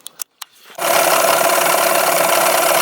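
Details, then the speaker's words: 1991 Yamaha 15hp outboard, after a new water pump impeller, new plugs and new prop, gives a few short knocks on startup, then catches and runs with a steady, even buzz and no misses; block stays cool with no visible telltale water; normal running. "is running good little hiccup when we first got it running"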